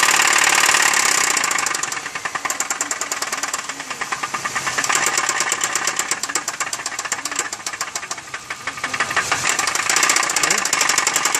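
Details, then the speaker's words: 2003 Chevy Malibu before engine removal: sharp, heavy metallic knocking about three per second, loud over the running engine and following revs; serious internal knock, cause unknown, engine to be swapped. "it's uh got a horrible engine knocking noise but it's real bad and I just wanted to show you guys what it sounds like"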